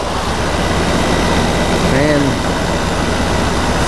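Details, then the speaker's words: Goldstar 12,000 BTU window air conditioner (about 2004–2005) after replacing the fan motor with worn bearings and cleaning: steady, even hum, fan running smoothly outside with no rattles or scraping, much quieter than before; normal running. "hopefully this gets it back you know you sit back working again long toes it's quiet vans quiet way quieter than what then it was"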